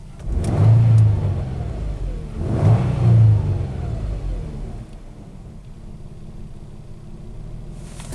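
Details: Nissan Pathfinder with hard-start and overheat trouble, after fitting a new OEM engine coolant temperature sensor: two clean blips rise and fall smoothly, then a steady low idle around 500-600 rpm. Normal revving and idle.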